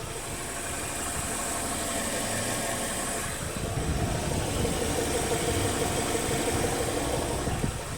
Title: BMW 116i e87 engine noise when warm.